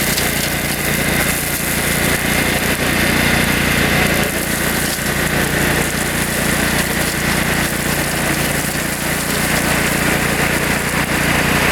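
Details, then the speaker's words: Kohler Command 14 hp engine (owner believes) on a mower, newly bolted on after the old engine fried, new battery, test run cutting roadside brush in third gear: steady even drone holding speed, no misses, knocks or hunting; healthy running under load. "Alright, test run. That works pretty well. That cuts really nice. Not too bad. I like it. It's pretty fast in third gear too."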